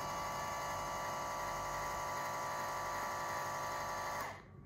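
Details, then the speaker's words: Runxin F65P3 volume-controlled softener valve at power-up going into automatic flush: a small drive motor whirs with a steady, even high hum for about four seconds, then stops cleanly before the settings screen; normal valve motor running. "then it's starting to automatic flush as you can hear the motor is running"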